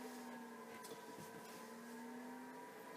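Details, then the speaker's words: Newly installed 2.5 kW VVKB parking heater in a caravan, on button held 3 seconds; soft steady whir with even tones, no rattle or scrape as the fan motor spins up; normal fan startup. "We'll press the on button for 3 seconds. The fan motor starts."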